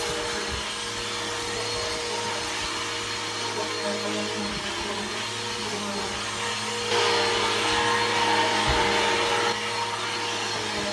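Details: Bissell PowerForce Helix 1240 upright vacuum (newer upgraded version) running: steady motor whine with a faint rough, rumbly undertone from the brush roll; brush roll bearings going out, not the motor, so the brush roll needs replacing soon.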